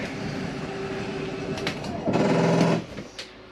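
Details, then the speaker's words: Flagstaff 27BHWS travel trailer slide-out retracting: steady motor drone, then a brief coarse ratcheting grind as the slide bottoms out; normal end-of-travel stop keeping the slide from coming in too far, nothing wrong. "once you hear that noise it's okay to hear that that is just a slide mechanism keeping itself from coming in too far sounds like it's something grinding but it is not"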